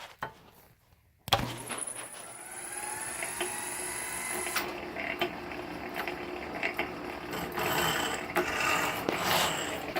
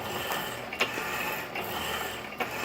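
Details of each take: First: 1916 Diamond Saw Works power hacksaw driven by upgraded 1915 1/4hp Century Model RS motor, running smoothly at just over 60 strokes a minute with even blade scraping; some clicking from a worn frame pin bushing: normal running. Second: 1916 Diamond Saw Works power hacksaw driven by a 1915 1/4hp Century Model RS motor at just over 60 strokes a minute: light hum with a sharp click about every 0.8 s from the worn saw-frame pin and black bushing, to be brazed later.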